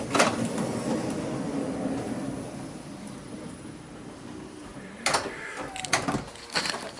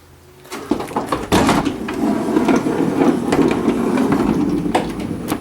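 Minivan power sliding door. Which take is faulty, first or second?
second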